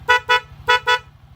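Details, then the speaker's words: Low-budget snail horn (previously unboxed cheaper unit, before swapping to new dual horn): four short clean honks in two pairs with steady mid-pitched tone; sound is okay, horn works properly. "Ito yung tunog Yung tunog niya kasaya na, okay din naman."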